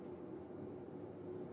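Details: Kenmore Oasis washer spinning, control fault stopping it before 400–900 rpm: steady rough low-mid rumble, dry grind of worn tub bearings needing replacement.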